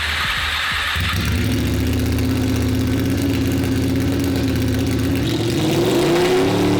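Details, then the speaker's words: Honda VFR800 with home-fitted Temu turbo disconnected and stock airbox refitted, very loud exhaust: idles steadily but picks up only slowly and unevenly, won't rev; owner suspects fuel starvation, unconfirmed. "It honestly sounds like the bike is starving for fuel. It will sit there and idle, but th"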